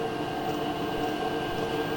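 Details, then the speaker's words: HLN 8kW diesel air heater starting in a 25°C workshop: fan spins up and the pump feeds fuel, ignition within about 10 seconds, then a steady whir with a smooth burner roar and constant high tone, no popping; lit and burning cleanly. "spun pumps of fuel at the same time and within like 10 seconds there's ignition. If you can hear it, I can hear it. It's started. It's running. So, I can hear ignition. Ignition is happening."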